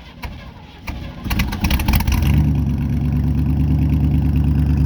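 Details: 1971 Chevy Cheyenne C10 pickup V8, cold start at about 27°F in snow, choke and gas pumped: uneven cranking bursts, then stumbles and catches into a rough, lumpy cold idle; hard cold start.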